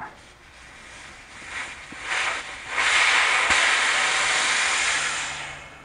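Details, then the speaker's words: BMW X5 E53 rear air suspension bag replacement: 10 mm fitting loosened with standard wrench, hiss builds, holds steady for a few seconds, then fades as residual pressure bleeds from the air spring. "yep so i need a standard wrench yeah you don't need no special wrench i hear the air i'm going to take this all the way out"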